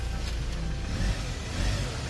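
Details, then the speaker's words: 2015 Hyundai Porter 2 Super Cab one-ton electric wing-body truck, 149,000 km, automatic, Euro 5 diesel with emission filter, accident-free, no engine oil leaks. A low, even, quiet diesel rumble with no knocks and no shift shock; healthy engine. "엔진소리 조용하고 변속 충격 없다"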